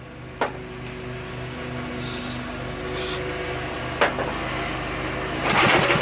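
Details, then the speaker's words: Briggs & Stratton small engine, locked up then freed; coil jammed on flywheel and sheared flywheel key fixed; oily cylinder smoking; engine catches and fires at a steady, even beat with no misses, running consistently before adding gas. "so that's firing up pretty consistently let's throw some gas in there and see if it'll work"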